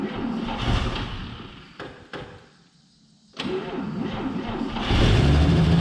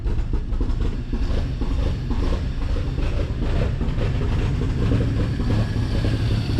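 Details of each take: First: 1949 Chevy Fleetline 216 six after freeing stuck lifters and straightening bent pushrods: fires up and revs out smoothly through a quiet dip and back up, no knocks or ticks, until running out of gas; normal revving. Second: 1949 Chevy Fleetline 216 six, side cover off, after freeing stuck lifters and straightening bent pushrods, idling cold: rough, uneven beat with fast light typewriter ticking; valve train tapping, smooths as it warms.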